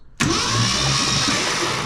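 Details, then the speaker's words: 1966 Ford Fairlane 390 FE V8, stuck for about 20 years, cranked on the starter with all spark plugs removed: fast, even high whir with no compression pulses, as expected, pumping oil up. "It's turning over, turning over. We got all the spark plugs out. All the spark plugs are out, so it's going to turn over super fast. But that's good because it's pumping oil up."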